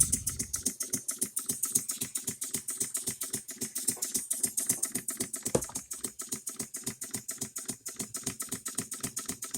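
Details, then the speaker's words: Home-built model engine from England, first test run with exhaust routed away, sitting on bench: sharp evenly spaced knock about three and a half per second, one per stroke; engine knocks, noise felt at one end, cause not yet found. "She's a knocker, that's for sure. But I'll tell you what, everything's running through."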